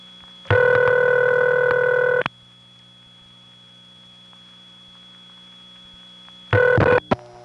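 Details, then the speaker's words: 1979 Raleigh NC call to a crossbar 5 office over squealy wire trunks. A steady ringing burst of about two seconds, a long quiet gap, then the next burst. Normal standard crossbar 5 ringback cadence. "however there is another office in the area that has the standard crossbar five ring and one you usually associate with crossbar five and we have nice squealy wire trunks to it as well"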